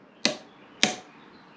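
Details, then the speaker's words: TAGVIT torque wrench releasing at its set torque on a motorcycle nut set to 15 kg, via a reducer: two crisp, sharp clicks about half a second apart, clean with no rattle; releases properly and accurately. "photo montrée le bruit qu'elle fait quand elle claque tu vois"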